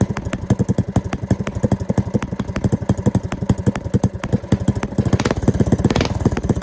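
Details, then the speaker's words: Go-kart with a small single-cylinder engine, after a carburetor rebuild with a stage one kit and rejetting: a quick, even idle beat at steady loudness; it idles and runs cleanly, though the engine sparks a lot for an unknown reason. "so yep it idles and runs now and of course when it runs also this thing Sparks a lot by the way"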